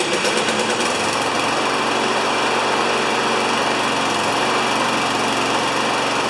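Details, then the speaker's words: Free non-running mower after about an hour of repair: small engine settles into a fast, even buzz with no misses or knocks; running smoothly. "So that went from being a dog to being a nice lawnmower in about an hour."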